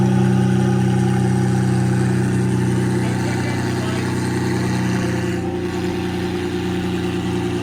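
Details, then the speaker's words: Lamborghini Murcielago V12 running after fuel tank reinstalled and reconnected: smooth, steady low rumble with even beat on both banks, easing down slightly, no misfire or stumble, burning off old deposits. "running on both banks it still burned out some of the crap from before"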